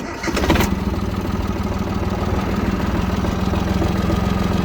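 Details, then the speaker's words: Yanmar F-220 mini tractor, 22 hp three-cylinder diesel, 533 engine hours, cold engine: brief crank, fires straight away, settles into an even, steady idle without stumbling; clean cold start, runs smoothly. "Такой запуск. Мотор холодный. Вообще без вопросов. Сильно насиловать не будем, но я думаю, видно, что и слышно, что мотор работает ровно."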